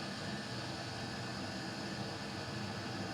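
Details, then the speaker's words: Custom Webasto water heater and Chinese diesel heater hybrid at max after about 5 more minutes; burn chamber 140, exhaust hot; steady even roar, no pulsing, sputtering or knocks; normal full-output burning. "now we're using the diesel heater let's turn it up to Max and leave it five more minutes about 5 minutes has passed and that is hot"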